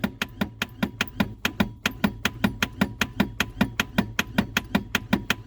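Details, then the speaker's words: Reliant Rialto pickup on its first start attempt in a decade: rapid even starter clicks, about five a second, with no cranking and no fire. The owner suspects a seized inertia starter head not engaging the flywheel; starter to be removed. "We ain't got no fire. Our starter motor was just click, click, click."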